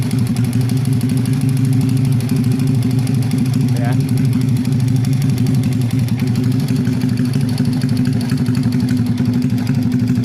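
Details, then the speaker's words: Honda Vega R motorcycle in its initial condition, smoking heavily: rough, uneven chatter at idle heard around the cylinder head. "foging suara mesin kasar terdengar di area headit Kang Bro"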